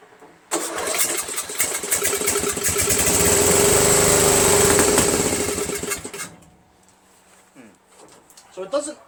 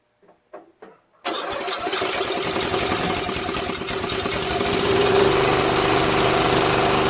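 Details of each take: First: Murray Select 13.5 hp 40-inch riding mower with Briggs flathead engine, sat overnight, started by jumping the solenoid: starter cranks, engine catches, runs roughly a few seconds then dies; won't keep running. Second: Murray Select 13.5 40" tractor, Briggs & Stratton flathead: had a bad valve guide, valves ground for clearance, stripped head bolt replaced with screw and washer. First test start gives a quick crank, then an even, steady single-cylinder putter at idle.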